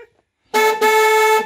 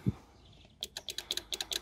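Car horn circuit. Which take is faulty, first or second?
second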